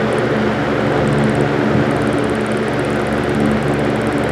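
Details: 1940 GE Vortalex 16-inch antique fan after adding oil to rear oil port and gearbox grease: steady even hum with light airy whoosh and faint high ticking from open gears; runs smoothly, healthy.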